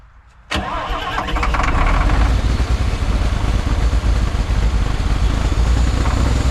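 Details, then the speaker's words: Long-parked cabover diesel truck, restarted with a little throttle; fires and climbs within a second to a loud deep steady roar that keeps racing, getting harder to turn off each time: engine runaway. "Well, I guess to answer the question, does it run? Yes, it does. It also runs away."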